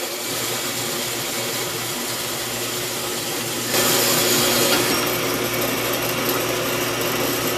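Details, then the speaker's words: 4x6 band saw cutting metal after gearbox oil change: steady blade and drive whir with even cutting hiss, no grinding or knocking; sounds good, a little quieter, normal running. "So, sounds good. It's a little quieter."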